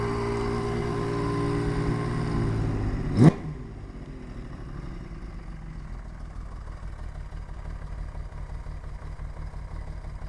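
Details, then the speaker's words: 1980 Honda CBX 1000 with Wiseco 1150cc big bore, ported head, '79 cams and carbs, Dynajet stage 3 jetting, 6-into-1 pipe: low, even purr at about 500 rpm idle, barely ticking, then shuts off; healthy idle credited to carb sync, jetting and valve adjustment. "just purrs what is that that's at 500 RPM can hear that barely ticking away that's good carb sink jetting and valve adjustment"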